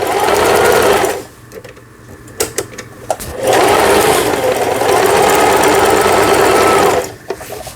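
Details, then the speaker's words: Juki HZL-series household sewing machine after repair of feed regulation cam and bobbin case, zigzag stitch test; two smooth bursts of quick even needle chatter with clean starts and stops, stitching normally. "네, 지그재 바느질이 정상적으로 되고 있고요."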